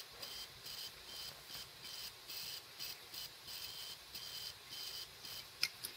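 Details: Failing laptop hard drive running with cover removed: soft regular chirps two or three times a second over faint hiss as heads sweep; likely died from OS X repeatedly parking heads, wearing the load ramp (suspected); seeking noise.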